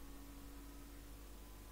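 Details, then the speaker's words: Raspberry Pi 4 Model B starter-kit case fan sitting on a desk: quiet steady hum with a low rumble and constant mid tone, a loud fan drone possibly worsened by vibration against the desk. "le ventilo ça fait un sacré ronflement alors là c'est parce que c'est sur le bureau ça vibre"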